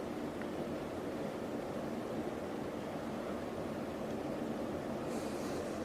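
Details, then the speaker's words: Antique ceiling fan with no down rod, stepped from high to medium and low: even soft whoosh of air with no knocking, wobble or rattle; fan well balanced and quiet, running normally. "medium. And low. This one's nice and quiet too."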